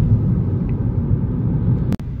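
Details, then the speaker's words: 2013 Kia Rio with replacement 2017 Hyundai G4FA engine and 2017 ECU, after P0011 VVT fix and new catalytic converter, town test drive at normal traffic speeds: even low drone, no ticking, knocking or exhaust leak; very stable. "ya estamos haciendo la última prueba de manejo en Pueblo ya a velocidades de tráfico normal y sometiendo el motor a un uso cotidiano y hay una diferencia infinitamente abismal Comparado A como estaba inicialmente el motor se siente súper estable"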